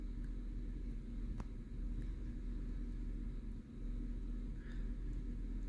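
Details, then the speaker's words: 2009 Chevy Silverado 5.3L V8 idling with misfire on cylinder 2: deep, uneven lumpy rumble, truck shaking; spark plug found closed-gapped and badly burnt, no lifter tapping heard; plugs to be replaced. "te que tiembla más el carro ahí está temblando está temblando un acelerón lo voy a soltar"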